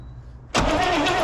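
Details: 1970 Chevrolet El Camino 396 V8, 4-speed, parked 38 years: starter kicks in abruptly and spins the engine with a steady whir but it never catches; cranks but no start.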